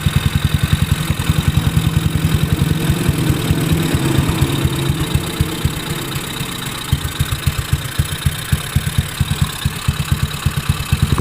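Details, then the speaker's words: Honda Beat carburetor scooter just fitted with PE 24 CPO carburetor, breather hose left open; uneven low idle thumping about two beats a second with faint airy hiss from the open hose; intake-leak-like hiss from open breather hose. "nah oke teman-teman itu tadi yang suara seperti bocor ini ya Ini karena selang pernapasan dibuka ya"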